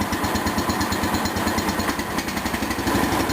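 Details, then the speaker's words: '77 model 210 lawn tractor after variator pulley replacement and adjustment, motor deck back on, foot off clutch pedal: small single-cylinder idling evenly, no drive rattle, only slight transmission whine; much quieter than before, running properly. "this is what it sounds like with my foot off a clutch pedal you can't even hear it I can only hear a slight whine of the"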